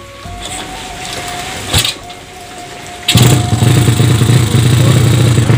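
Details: Yamaha Vega ZR with a swapped Mio cylinder at 200cc, 26 mm carburetor not yet set, Shogun ignition, exhaust described as undersized: quiet start, then a loud, raw, uneven idle with a harsh exhaust note.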